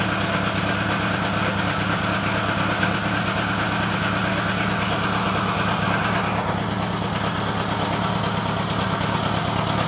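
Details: Honda GL1000 idle with a loping, slightly uneven beat of about three pulses a second, like an occasional miss; misfire suspected, not confirmed.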